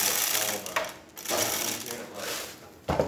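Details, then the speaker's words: Jura Z6 espresso machine after grinder repair and service for grinding briefly then erroring; bursts of high gritty whirring with short pauses, bean sensor working: grinder grinding normally. "as you can see the machine is definitely working uh it's grinding the way it's supposed to"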